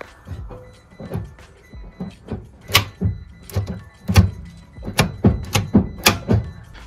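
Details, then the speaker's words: Citroen C-Zero (iMiEV/iOn) electric car brought in not starting despite charged battery; after cleaning, greasing and adjusting the gear selector sensor, selector now shifts through each position with loud, crisp clicks and soft thunks, latching cleanly: normal gear selector operation. "Все, в нас паркінг. Дуже чутно і гарно пере перемикається і щолкає."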